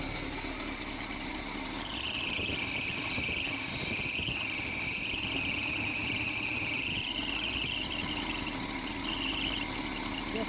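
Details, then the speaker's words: Cold small-block Chevy V8 at first start, idling with a little choke: a high, steady squeal over the idle, wavering slightly in pitch, from the engine front; belt squeal. "all right let's see if we do something with that belt driving me nuts"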